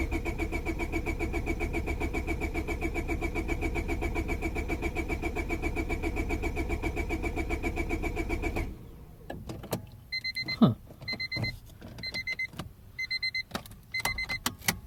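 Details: 2000 Honda Civic 1.6L that won't start when damp after sitting: fuel smell present, weak spark seen. Starter churns steadily three to four times a second for nine seconds without firing. Crank, no start.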